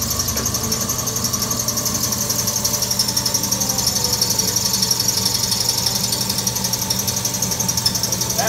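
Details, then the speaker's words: Wayne 60 gas pump that sat over 40 years, electric motor belt-driven, first run after oiling: regular chugging pulse about three a second with metallic clatter as the stiff pump unit runs rough; owner expects it to ease once run in. "it's probably gonna sound awful because they're still asleep in the pump unit as you can hear maybe once it runs a widow it'll go away"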